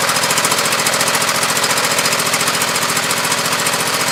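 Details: Husqvarna YTH2448 mower with 24 hp Briggs V-twin, new regulator fitted: choppy uneven popping and sputtering about three and a half beats a second; one cylinder traced as weak, compression test planned, cause unconfirmed. Finding: misfire.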